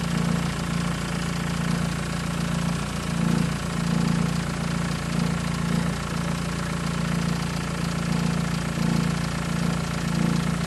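Steady idle with a loose, uneven rattle riding over the low engine hum; a rattle at idle whose cause isn't pinned down. Cause suspected, not confirmed.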